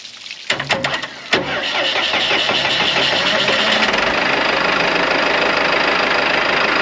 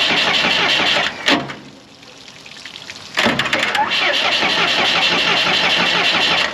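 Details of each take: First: Morbark 2400XL track chipper's 4BT diesel, bought at auction sight unseen, after bridging with a bolt to let it get fuel: a few cranking bursts, then it catches and settles into a steady, even diesel rattle at idle; it starts and runs fine. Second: Morbark 2400XL track chipper's 4BT diesel, bought at auction sight unseen, cranked with battery jumped to ignition and throttle in: the starter churns quick and even, about four beats a second, but it never catches; a cracked injector line shows no fuel, a no-fuel crank with no start.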